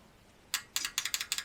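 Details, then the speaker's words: 1976 Jaguar XJ12 V12, idle ~40 years after its original engine blew, with a replacement V12 just installed: injector briefly energized with 12 V (normally runs about 3–4 V) to free it. It gives crisp, sharp ticks, about six a second, and fuel is heard; normal injector click. "so let's see so that one's good it's clicking and I actually heard some fuel"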